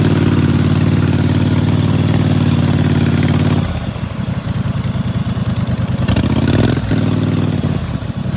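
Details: Cold start of "Clifford" after carburetor clean (had been running very rich); loud even thump from a real short cut-off exhaust, settles to steady idle, picks up cleanly on throttle blips; runs smoothly.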